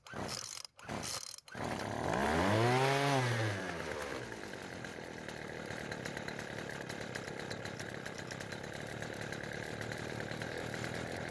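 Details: Poulan Pro string trimmer after fixing a pull rope that wouldn't retract: a few pulls, then the small two-stroke catches, revs and settles into a steady even buzz with no stumbling; no starting or running problem.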